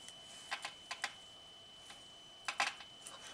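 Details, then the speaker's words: 2009 Chevy Traverse with code P0018 after new timing parts, engine hot: crisp clicks as the bank 2 intake cam VVT solenoid control wire is grounded manually during a scope bypass test. The solenoid switches normally. "sounds like it's clicking fine that's for the bank two intake"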